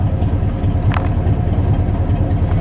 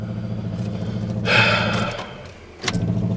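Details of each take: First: Truck idling after about half an hour of running, voltmeter reading about 14 V before a shut-off to test whether the battery holds charge: steady low idle with an even rumble and no misses or knocks. Engine sounds healthy. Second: Pickup truck with the fuel pump relocated into the engine bay: uneven cranking churn, a sudden rough surge, then clunky stop-start bursts instead of a clean catch. Others called it normal, but the owner disagrees.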